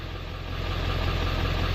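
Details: 1994-97 OBS Ford 7.3L Powerstroke after electric fuel pump conversion, started on one crank, fuel pressure settling around 45 psi: low, smooth diesel rumble with an even beat, no misses or knocks; healthy, settled idle.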